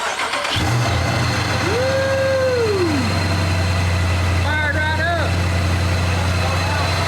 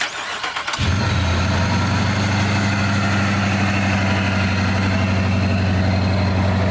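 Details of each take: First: 2018 Dodge Charger Pursuit, wrecked and rebuilt, first start after a ProCharger supercharger install on the stock computer with no tune: cranks and catches, then an uneven, lumpy idle. Rough start; fuel pump and injectors are suspected of not suiting the stock computer. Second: 2018 Dodge Charger police pursuit car rebuild, just fitted with a 50-state-legal supercharger, stock computer without tune: quick crank, catches at once, settles into an even steady low idle with no misses or knocks.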